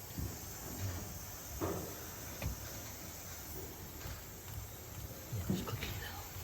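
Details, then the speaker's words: Webasto Airtop 2000 diesel heater on its first startup test in a Citroën Ami, with a temporarily mounted fuel tank. Soft, regular ticks roughly every second; the fuel dosing pump is clicking normally. "yeah so that's a fuel pump"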